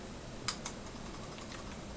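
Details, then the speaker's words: Logitech G502 Proteus mouse, metal scroll wheel tilted sideways in a quiet room: two light, sharp clicks as the tilt mechanism clacks against its stops. The wheel makes noise when moved sideways; the G500S seems to do the same. "Anyways, so I'm not sure if you can hear it, but when you move it sideways, it makes a noise."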